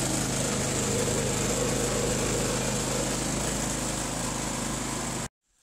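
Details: Harbor Freight Predator 3500 W generator, 1000 hours, just serviced (new spark plug, air filter cleaned, oil changed, spark arrestor cleaned): steady even drone at constant speed, no misses or knocks, then clean shutoff; normal running.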